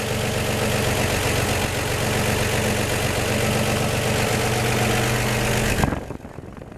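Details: 1949 Chevy 3100 with 1954 235 inline-six, after replacing leaky exhaust donut at front Fenton cast-iron header: smooth even idle with no ticking or puffing from header, then clean shutoff; normal idle.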